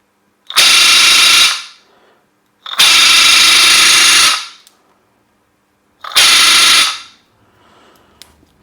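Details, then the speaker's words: Webasto circulating coolant pump run dry after removal: three short bursts of loud, high hissing whine with no resistance, the rotor resonating, which can crack it. "when it is dry, it is better not to turn it on because something like this will happen, the rotor will resonate and may crack"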